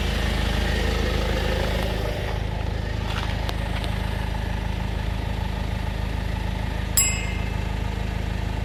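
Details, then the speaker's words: 2016 Citroën C4 Grand Picasso after replacing auxiliary belt tensioner and belt: steady, even low idle hum with no rattle from the belt drive; the worsening loud rattle, which stopped with the belt off, is gone. "so that seemed to be the tensioner has fixed it so which is good news"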